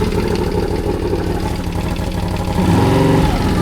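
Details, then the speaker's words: CFMOTO CForce 1000 ATV, 2V91Y V-twin, knock appeared suddenly: uneven idle with steady light tapping rising with revs, from one (second) cylinder; owner suspects valves, timing chain or an unscrewed tensioner, not yet confirmed. "Клапана что ли стучат? Вот с этого цилиндра стук идёт."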